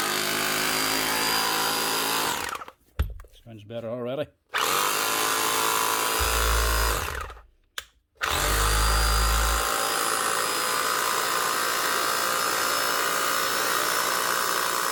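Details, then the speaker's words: 20-year-old Bosch GBH 4 DFE SDS+ hammer drill, previously not hammering with heavy motor sparking, tested after armature work and regreasing: clean, even motor whine in bursts, speed rising as grease spreads, no grinding or rattle. "hear the speed increasing as the grease works its way around inside."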